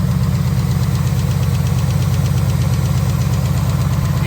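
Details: 2021 Ford Mustang GT 5.0 L third-gen Coyote, known Coyote tick noticed over the last 2,000 miles; light fast even ticking at steady idle, before/after Ceratec friction modifier and switch to 5W-20, tick said to stop sooner after.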